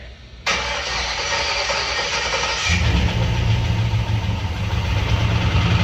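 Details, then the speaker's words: 1948 truck engine first start after sitting about 50 years: catches, then lumpy uneven low idle with loose rhythmic knock, intake backfire, heavy smoke and felt imbalance; suspected bad fuel or water in fuel causing detonation, possibly a valve problem. "Solid would be a rod knot. No. Like a valve, a torque converter boat, slapping and bell housing. I don't know, but I can feel the unbalance in the engine right away."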